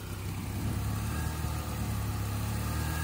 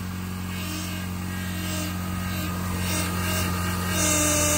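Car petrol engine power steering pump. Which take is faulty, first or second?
second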